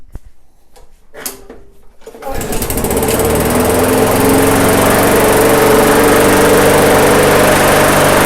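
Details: MTD/Yard Machines walk-behind mower after a slight governor arm tweak: a few pulls, then catches and settles into a steady, even putter at low throttle with no hunting; runs fine.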